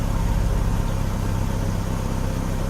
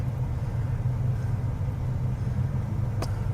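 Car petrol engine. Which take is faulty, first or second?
second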